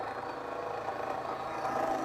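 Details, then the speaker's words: Milling cutter taking a cut dry, without lubricant, across welded-on mess on a plate for a motorized XY laser-welding positioner; harsh gritty scraping whine and chatter, cutter possibly ruined. "I might have just totally hose this cutter listen to the sound it's making now"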